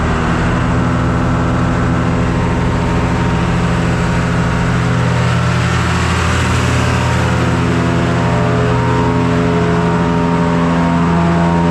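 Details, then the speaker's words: John Deere 2955 tractor driving repaired Case 600 blower via PTO, revved up: steady, even drone building with revs, no ticking or rubbing; normal running. "Give me some RPMs and I got to take a look. Sounds like it's running good. Going to rev it up all the way."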